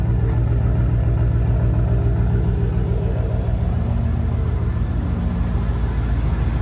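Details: Fire-damaged 1998 Chevrolet K2500 big-block V8, 4WD, dash fire nearly a year ago, first run after connecting the battery: deep, steady idle with even low rumble and regular firing pulses, no knocks or misses; runs smoothly.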